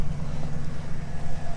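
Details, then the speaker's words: Auction vehicle with check engine light on, all-stock engine with a wire loom missing, engine bay open. A smooth, even low rumble at constant speed with no ticks or stumbles. Healthy idle. "all right motor's running nice and smooth"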